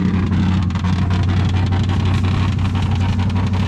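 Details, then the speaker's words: 390 V8 cold start in cold Georgia weather, little gas added: loud, raw, coarse rumble at fast idle, running horribly and cutting off, blatty exhaust; rough, worn-out mufflers. "the mufflers are rough but she's running she's running horribly but she's running she just cut off cold start for sure"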